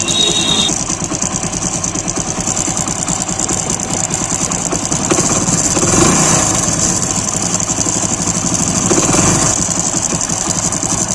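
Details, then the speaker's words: Motorcycle with timing chain recently replaced, cold engine at idle: light, fast metallic chatter over the beat, quieter once warm; timing chain tensioner roller rattle. "यह हल्की हल्की जो नचना की आवाज आ रही है वीर से यह आवाज आ रही"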